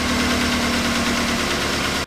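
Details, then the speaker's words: 2008 Chevy Suburban, blinking check engine light, P0304 cylinder 4 misfire: uneven loping idle with regular stumble, then shutdown. Compression test reads zero on that cylinder; bad piston rings probably. Misfire from low compression. "there's no compression at all okay so that is pointed to right here say it is zero okay no compression that's what it isn't it's misfiring that cylinder piston ringing probably bad"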